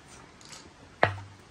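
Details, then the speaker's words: Mk4 VW VR6 turbo engine during teardown, crank turned by hand, pan still on: one sharp hollow clunk. Rod knock, suspected spun bearing on a rear connecting rod. "let's turn this [ __ ] over real quick oh you can hear it there you go which one he's knocking who's knocking"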